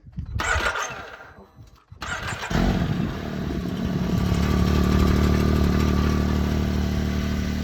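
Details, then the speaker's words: Can-Am Maverick X3 Turbo RR, rebuilt after an accident, cranks, catches and runs steadily with a smooth low drone and no ticking or puffing after the muffler is refitted; much quieter, no exhaust leak. "So much quieter. Having a muffler again."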